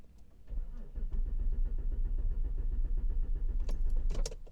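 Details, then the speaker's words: Car with intermittent no-start fault, active now; starter spins the engine in an even rhythm of about four beats a second but it never fires, with no engine speed reported on G28 crankshaft sensor live data; crankshaft sensor, wiring or rarely the ECM suspected: crank no start. "so you seen there just by cranking the car there was no engine speed there was nothing being reported on the G20 sensor"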